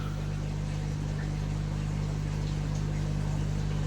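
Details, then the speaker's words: Replacement air pumps on a koi pond, swapped in for noisy old ones during very cold weather: low even drone with a faint steady pulse, no rattle or knocking, very quiet; problem solved. "just hear the slight drone of the air pumps going away very very quiet hey problem solved happy with that"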